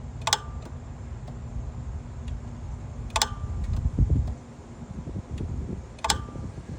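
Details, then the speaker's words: Normal AC compressor clutch engagement, commanded on and off with a bidirectional scan tool through the clutch relay: the rusty bottom pulley below the power steering pulley clicks sharply and visibly pulls in about every three seconds over a low hum. "the very bottom one that's about below that that big Rusty thing you'll hear it click and you you'll hear it and see it actually pull in itself"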